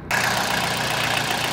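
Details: 2000 Toyota Celica GT 1.8L VVT-i with low oil, oil light flickering, P0300 then P1315 and pending P0304: rough idle with a dry, busy valvetrain clatter from oil starvation; topping up the oil cured it.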